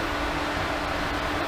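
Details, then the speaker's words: Super Flow variable speed pool pump on 1.5-inch plumbing ramped to its maximum 3,450 rpm, drawing almost 10 amps and 2.27 kW at about 80–82 gpm: steady, even rushing whirr with a constant hum, no knocks or rattles; normal running at maximum speed. "I'm going to start it up and I'm going to ramp it all the way up to the maximum rpm three thousand four hundred and fifty rpm here we go"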